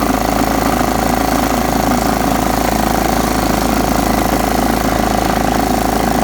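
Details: John Deere STX 38 riding mower, parked an estimated nine or ten years, after a new battery and freeing a carburetor float stuck shut: even, steady low drone with no misses, surging or hunting; engine running normally.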